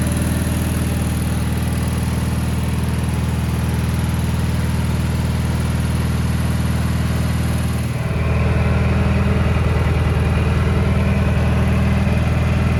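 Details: 1987 Gravely Professional 18G riding mower, Kohler Magnum 18 engine, run after replacing the gas cap fuel gauge: strong, even firing beat that shifts smoothly to a new speed, no more whistling; clean, healthy running.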